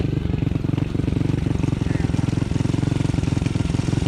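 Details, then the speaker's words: Honda CT70 after engine swap, being tuned: small single thumps with an uneven lumpy beat that never settles; fuelling sounds off, owner thinks bigger carburetor jets needed. "We've been trying to get her tuned in. I think we might need bigger jets."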